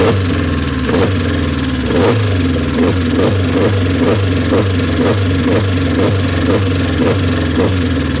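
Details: Mazda engine after sitting unused for a long time: over a rough idle a regular knock, about two to three per second, stands out clearly from the engine note; cause unknown.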